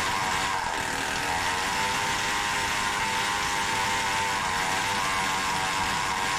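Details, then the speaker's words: Samurai 40cc two-stroke with new heat-sinked CDI, ignition advance being adjusted by laptop: tiny engine screams at a steady high buzz but won't rev up and sputters; ignition advance suspected too late. "so it's kind of promising it seems to start better and run more stable but it doesn't rev up and sputters ignition advance is probably too late"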